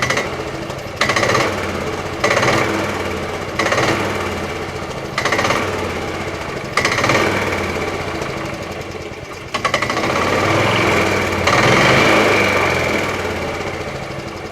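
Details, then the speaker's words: 1987 Club Car DS gas golf cart, Kawasaki KF82 engine, revved standing beside the rear: coarse knocking clunk at each blip, not smooth. Owner believes it comes from the drive clutch, not the engine; rusted driven clutch shaft, secondary clutch broke. "It makes a clunking noise, and I'm sure it's coming from that clutch. It's not the engine."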